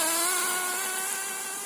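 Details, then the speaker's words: Nosram .18 RS Evo nitro engine in an HPI Nitro MT on a break-in tank, leaned about three-quarters of a turn, running about 100–107; high, thin buzz reaching higher rpm, slightly uneven and soft, still quite rich. "definitely starting to get to higher rpms now still quite rich though"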